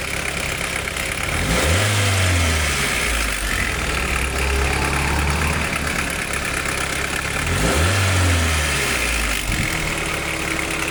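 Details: 1991 Nissan Primera P10, GA16DS 97 hp carburetted engine with botched carburettor repair history: busy metallic rattle over uneven idle with brief rev swells; timing chain suspected, not confirmed.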